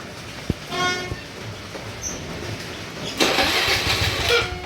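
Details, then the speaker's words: Carbureted Honda Vario scooter started to check for an unstable idle: a short cranking burst, then a thin, faltering low idle. The throttle idle setting is too low and is readjusted toward 1200 rpm. "Nah, malah setelannya itu yang terlalu kecil ya, setelan gasnya."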